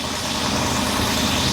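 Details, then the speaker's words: Grandfather's 1966 Ford Thunderbird V8, throttle and return spring not yet hooked up: even steady idle with smooth low rumble, no misses, knocks or ticks; running better than owner remembers, normal idle. "But boy, she's purring like a kitten. I haven't heard it run this good."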